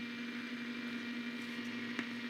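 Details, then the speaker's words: Blaupunkt Arkansas stereo tube radio, first power-up after restoration, volume full, tuning condenser jammed: steady hiss with low constant hum, no crackle; normal medium-wave and long-wave band noise, so the AM receiver is alive. "this is on medium wave we've got something you've got something on there that's medium wave can't tune well okay this is definitely noise that we expect to hear that would be long-wave same noise"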